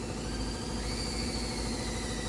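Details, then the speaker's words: Steady high drill whine sagging slightly in pitch under oil pump load while priming the boosted small-block Ford in a pro mod Mustang before first start; the oil filter fills and pressure reaches 30 psi as the drill battery dies. Normal priming. "and here the drill bog down a little bit there's our pressure the battery's dead we got 30 lbs of pressure perfect as the battery dried"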